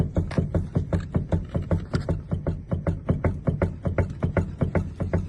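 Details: 2008 Toyota Avensis T25 sedan that knocks over speed bumps, engine off with ignition on, front wheel rocked: dull regular knocks at about 2.5 a second from a worn tie rod end, first suspected to be stabilizer links.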